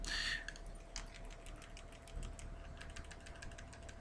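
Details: Spigen Neo Hybrid case on a Nexus 5: light, irregular plastic clicks and ticks from the power and volume button covers as the phone moves, especially when talking on the move; loose button rattle, reportedly common to all such cases.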